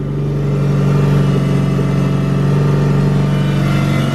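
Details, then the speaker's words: Mitsubishi Evo 8 four-cylinder running just after a screamer pipe install; steady strong drone with a firm low hum and slight pulsing, louder and different from before; engine seems healthy; normal running. "that sounds different I heard on a cold start not the pockets on and just seems louder a lot louder as well"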